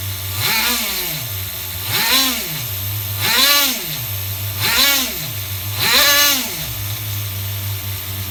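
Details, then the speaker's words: HPI RS4 Nitro F150 pickup RC truck glow engine on 16% nitro, retuned after overheating to ~350°F: a few turns of the screw give a steady, even single-stage idle that drops back cleanly after throttle blips. "don't know if you guys seen that but just a few turns of the screw I achieved single stage idle again"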